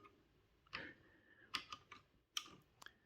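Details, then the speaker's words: Acorn Electron at power-on that fails to start though drawing some power: sharp little clicks of the blue tape relay snapping in against near-silence; the machine never boots. "Interestingly, I did notice when we put the power in, we can hear the tape relay clicking in. That little click noise, that's the tape relay going on, which is that little blue box there."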